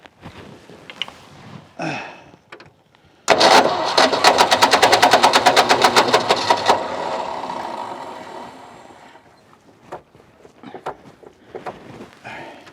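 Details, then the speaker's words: Ford F600 ex-U-Haul truck with a 359 FT engine, first start after sitting 20 years once the locked engine was freed, on choke: rapid even firing pulses with no clatter or knocking; runs normally. "Took me all day, but the motor's not stuck and the motor runs."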